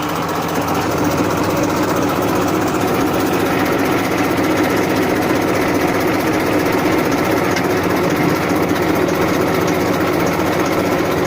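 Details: 1994 Massey Ferguson 1035 DI tractor diesel engine at idle: smooth, constant low hum with no knocks, misses or surges; normal, healthy tick-over.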